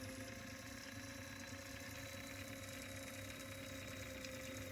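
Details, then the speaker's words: Sony TC-K777 cassette deck after restoration: a failed transistor was replaced and a pulled-out reel adjustment screw had let the magnet stick to the brass pulley. Reel motors were tuned to the service manual (playback 53 Hz; fast forward 134 Hz at 17 V). A quiet, steady motor whir with a faint waver under reverse load; runs fine. "Now let me show you playback. 53 Hz, perfect. No issues, running well."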